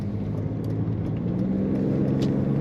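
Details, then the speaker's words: 2000 BMW Z3 convertible, automatic, just over 80,000 miles, while driving: smooth-running six with a steady, even low hum and a nice little exhaust rumble under light road noise; runs clean, normal. "smooth running BMW nice little Rumble to that exhaust excellent handling as most BMWs do have in a good road field"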